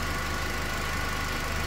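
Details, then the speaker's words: Toyota Corolla that had been shaking and misfiring, now fixed: steady, even petrol idle with no misses, no cylinder misfiring on the scanner, and rpm dropped from over 1000 to normal. "Ahí está perfecto, nice and beautiful. Y también, si se lo escuchan, ya bajó las RPM. Estaba arriba de 1000 y algo."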